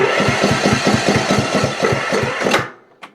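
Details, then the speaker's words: Cub Cadet CC30 H riding mower with MTD PowerMore engine, battery possibly a little low: starter turns the engine over in an even rhythm of about two to three beats a second but it never catches; crank no start, no spark from a faulty ignition coil. "it'll turn over but it will not start whatsoever"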